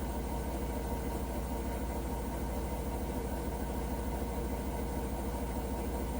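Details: Hotpoint washing machine making a weird noise: deep, steady rumble with an even throb of about three per second. The cause is unclear.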